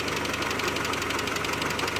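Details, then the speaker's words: 2001 Mitsubishi Galant 2.4 4G64 at idle: fast, even, metallic light ticking over a steady idle; suspected lifter tick, possibly from coked lifters or oil pump gear misalignment, and too-thick oil is doubted; cause not confirmed. "other things that can cause a lifter tick can't really think of any off the top of my head too thick of oil perhaps I don't I kind of doubt that one"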